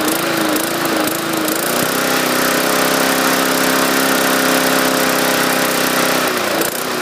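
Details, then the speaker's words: 2014 MTD 20-inch push mower, 300E engine, no load: pitch drops then hunts instead of holding speed; surging suspected from the main jet drilled out to 0.6 mm, running too rich; raising rpm didn't help. "I think this thing is um pushing too much gas we're getting that surging I try to increase the RPMs to compensate for the extra fuel that didn't seem to work"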